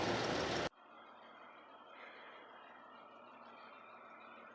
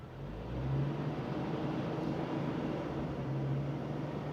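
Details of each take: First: 1999 Jeep Wrangler Sahara 4.0 with 5-speed, idling while warming up after the cracked exhaust manifold was replaced: soft, even hum with no ticking or puffing, exhaust sealed; normal idle. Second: 1999 Jeep Wrangler Sahara 4.0, 5-speed, at steady fast idle after exhaust manifold replacement, loud raspy exhaust rumble from a rust hole in the rusty muffler.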